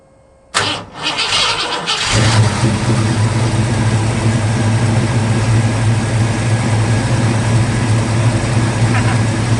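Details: 1950 Ford F1 truck after years in a barn, ignition and fuel pump hotwired to the battery, MSD box: cranks briefly, catches in about two seconds, then settles into a deep, steady idle with no knocks or stumbles.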